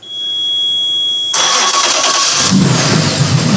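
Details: Suzuki 250 outboard on a rebuilt center console boat, newly rewired with new cables straight to the battery, second turnover. A quiet lead-in, then the starter spins and the engine catches straight into a steady, even run; a clean start.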